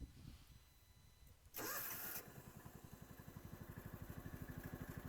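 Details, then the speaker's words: 1999 John Deere Gator 4x2 after new carburetor, coil, plug, fuel pump and fixing a vacuum leak, started on full choke: brief crank, instant catch, steady even putter at idle, not fully warmed; runs cleanly. "And here she is at idle and not fully warmed up."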